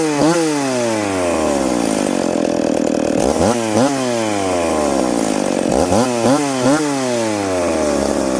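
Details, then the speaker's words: McCulloch Pro Mac 850 chainsaw fitted with a pipe, cutting two-year-seasoned hard oak, pulling 10,300 rpm in the cut. High two-stroke wail sags into the cut and climbs at each release, clean and strong, no stumble. Normal running under load. "gonna let it cool down that cut there uh 10-3 so this thing's pulling 10-3 in the cut that's fast for an old saw"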